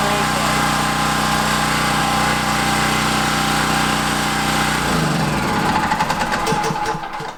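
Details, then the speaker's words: Pull-start conventional portable generator, running: loud, steady buzzing drone at constant speed, too loud to talk over, running down smoothly when switched off; normal running, just noisy. "as you can see they're loud I tried to talk a little bit in there so you could hear the differences and I had to really raise my voice hoping that you would hear me over the power of this thing"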